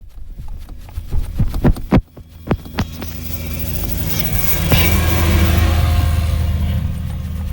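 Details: Engine cranks with uneven starter thumps for about three seconds, then a rising hum, turning over but never catching on a cold winter morning at the roadside; no-start, cause unconfirmed.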